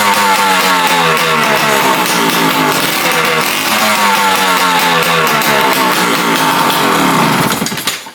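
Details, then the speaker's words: PW80 two-stroke dirt bike started after the exhaust was bolted up and a new brake shoe kit fitted: crisp, even crackle at steady high revs with no chuffing. It runs cleanly now that the big exhaust leak is gone. "it definitely sounds a lot better with that without that big old exhaust leak"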